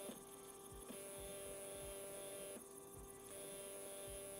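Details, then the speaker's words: Stepper motor on A4988 driver at 1/16 microstepping (after full and quarter step): quiet steady hum with a few fixed tones and faint high whine, smoother than coarse stepping but still a step buzz; normal. "but finally I activate the 16 steps and look how the vibration sound changes"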